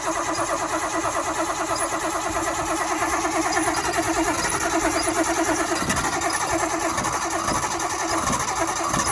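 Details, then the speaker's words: Nissan Cefiro with swapped RB25 six, just fitted with a new turbo, first fire-up: loud but lumpy, uneven stumbling beat; cylinder 6 flooded again (also flooded earlier when a pipe blew off), causing misfire. "I flooded cylinder 6 again. yep. Yeah, because remember when I drove it last time when I blew the pipe off, I flooded cylinder 6 again."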